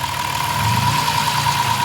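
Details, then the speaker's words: Bus engine idling after about 15 oil and filter changes: smooth, even idle with light quick fuel-injector ticking on top and some drivetrain noise, no knock. Sounds like a normal engine. "I mean still a little bit of out train noise but way better than it was most of that noise you hear is the fuel injectors sweet"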